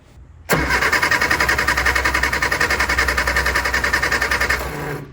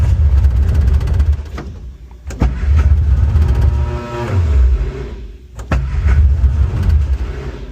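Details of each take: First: Barn-find Austin Mini 850 pickup stored 30 years, new spark plugs, spark tester fitted: steady starter cranking at about three and a half beats a second, never catching; no spark, owner suspects bad points, 12.5 V at coil. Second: Barn-find Austin Mini 850 pickup stored 30 years, carbs fed from a drip bottle: the starter churns, then the engine catches and runs rough but keeps going, with a deep uneven rumble and revs rising and falling; engine starting and running.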